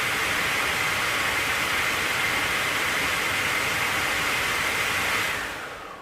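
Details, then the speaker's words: Peugeot 107 HVAC blower motor after repair, fan cleaned with electrical cleaner and a dropped glove removed from it: steady airy whoosh with faint even whine, no scraping or ticking, then a smooth spin-down; running perfectly. "it's running absolutely perfect there's no need of spending money on a new one"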